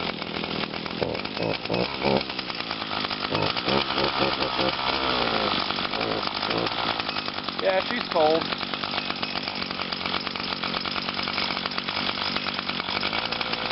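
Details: Brand-new 2011 Echo PAS 230, 22.8cc two-stroke, still breaking in and hard starting, running cold on a 92°F day: a steady high, even buzz, a bit rough while cold but clean, so it is running normally.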